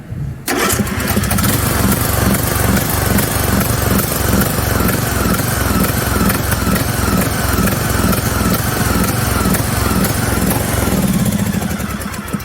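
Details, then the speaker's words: John Deere LA110 riding mower after a new coil, battery, fuel pump and fuel filter, a checked spark plug and a cleaned carburetor: it runs with an uneven, lumpy beat and lacks power; owner suspects a misfire, cause unknown. "basically it runs but it doesn't have power because it's almost like it has a misfire"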